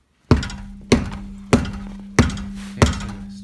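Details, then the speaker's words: Car jacked up on stands with suspension hanging free, tire struck with a sledgehammer to mimic road bumps: six sharp knocks, each leaving a metallic ring and buzz. The rattle is the brake dust shield right behind the rotor. "so this is the looks like the shield that's right behind the rotor and that's what's rattling"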